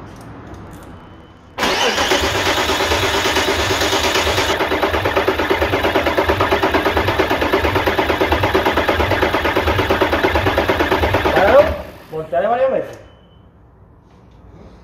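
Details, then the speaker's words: 1998 Audi A4 2.5 TDI (AFB) diesel, injector lines loosened to bleed: about ten seconds of even cranking at roughly three beats a second, never catching; crank no start from a broken fuel pipe to the injection pump. "hemos encontrado un tubito roto vale que sería este de aquí que llega hasta la bomba"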